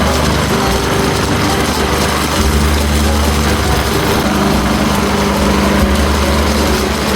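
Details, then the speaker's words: Toro Commercial mower 22155 with Honda GSV190 engine, after servicing: runs steady and even at constant speed, quiet, no knocks or misses; healthy. "Okay, choke on. Starts up right away. That's a good sign. It's quiet."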